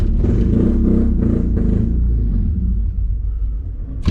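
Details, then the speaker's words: Honda Accord CD7 with H22 swap on its first drive: loud uneven lumpy thumping that fades and stalls within seconds; distributor firing order was wrong, and correcting it made the engine run smoothly. "She just does not want to go on for a ride. Oh, there we go. Come on, don't stop stalling out. Stalled out. Something ain't right. It's not running good."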